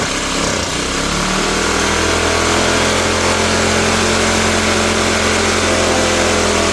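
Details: Troy-Bilt backpack blower, first cold start on full choke: fast, high, even buzz from the start that won't settle. Engine seems to run too fast; owner unsure how the throttle works, cause unconfirmed.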